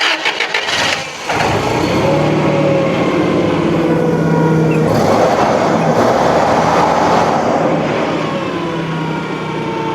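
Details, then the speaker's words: Toyota forklift engine after repair of a missing carbon contact in the distributor cap, which had caused an uneven run, plus new plugs gapped 0.045 in: short crank, steady even idle, no skipping; normal start and idle. "Como pueden observar, la falla se corrigió. Efectivamente, era la falta de ese carbón el que nos estaba provocando que tuviéramos un brinco de corriente. Ahí el equipo está trabajando perfectamente."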